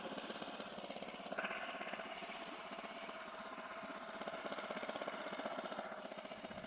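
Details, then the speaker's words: 8 hp four-stroke outboard, rebuilt after a broken connecting rod from running without engine oil, restarted in neutral and blipped: quiet, even putter with no knocks or misses; the rebuilt engine runs smoothly. "ขอลองเบิ้ลดูนี่นะครับผมเครื่องนิ่มเลยนะครับผม"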